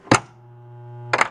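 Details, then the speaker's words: 1993 Williams Bally Star Trek Next Generation pinball (WPC), diverter problems: sharp clack at power-on with coin door shut, steady low buzz while the coil holds in, clack at cut-off; coil locks on immediately, shorted driver board transistor. "sure enough you can see just upon the quick power on it we only had it on for a second this thing pulled on immediately it shouldn't do that that means that its driver board transistor is shorted"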